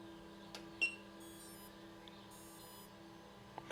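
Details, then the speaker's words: Home-built small-scale three-phase four-pole motor with its speed controller on a 31 V 10 A supply: two short bursts of faint high-pitched chirps over a low steady hum at power-on; normal controller startup tones. "So you should hear something similar to that when you hook up your speed controller."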